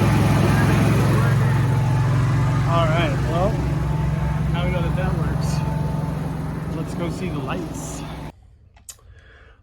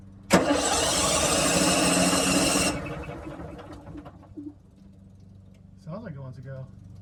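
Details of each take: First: RV generator started with a push-button test during an RV battery replacement: it catches and settles into a steady, even low hum with no knocks or surging. Normal generator running. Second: RV generator that has not run in a long while, tried after installing new batteries: the starter spins it quickly for about two and a half seconds without catching, then goes quiet; it cranks but won't start.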